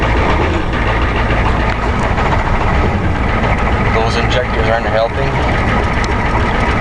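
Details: 1990 Ford F250 7.3 diesel at −15 °C, just after a hard cold start: low, uneven diesel clatter at idle with a lumpy, unsteady beat; rough cold idle, cause not confirmed, blow-by test planned.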